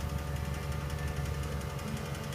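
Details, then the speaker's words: Car idling with a deliberately induced misfire from one disabled fuel injector or ignition coil: deep, lumpy idle with an uneven, stumbling beat; exhaust hydrocarbons and CO rise. "so now I've created an another type of misfire we're gonna watch the numbers again here"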